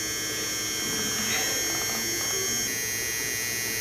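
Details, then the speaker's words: BMW R1200GS ABS brake bleeding without a scan tool: the rear brake pedal is touched lightly to run the ABS pump. Steady, high electric whir with a faint hum. ABS pump running normally. "nd when I touch the rear brake pedal we should hear the ABS pump run that's all I want to do is just touch it until it runs don't apply pressure just make it run"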